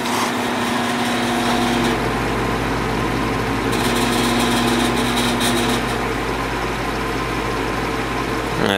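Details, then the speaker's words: 1950s Patton 18-inch High Velocity fan, 3.2 A GE shaded-pole single-bearing motor, after reassembly: steady hum with buzzing rattle on high. "well I definitely didn't plan on this happening I let it sit down here and run on low for a while just to see how it ran and I heard a bunch of clanking noises uh coming from down here when I was upstairs and it was rattling like crazy"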